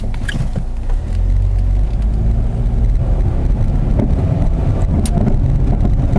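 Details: Saturn Ion driving, after front sway bar bushings corrected (oversized bushing previously fitted): road rumble with scattered light front-end knocks; front sway bar links suspected, their nut spinning, being replaced.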